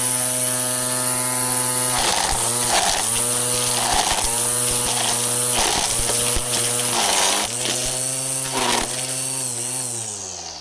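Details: Black and Decker LST136W 40V string trimmer after repair, new gear spindle and housing, on fully charged battery: steady high-pitched buzz with brief regular dips, no grinding or rattle; running normally.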